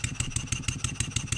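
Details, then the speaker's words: Stuart 7A air-driven model steam engine after valve eccentric timing adjustment, light upward load on the output shaft: sharp regular knock about six times a second on each stroke; mechanical knock, cause not yet identified. "if I just put a little bit of upward pressure I can feel it on this face you hear it Knocking"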